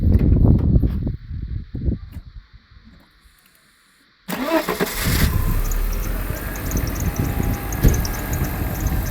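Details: Mercedes W126 300SE, M103 3.0 L inline-six converted from the original fuel system to a Voltarent ECU, restarted: quiet pause, then it catches at once and settles into a steady, even idle with no misfire or stumble; normal idle.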